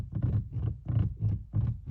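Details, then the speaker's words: VW Golf Mk8 door seal creak whenever the chassis flexes over bumps, uneven roads or at any speed, from all four corners: rubbery creaks in quick bursts, about three per second, like a dry door seal rubbing. "So if your Mk8 Golf has got this really irritating noise anytime the chassis flexes,"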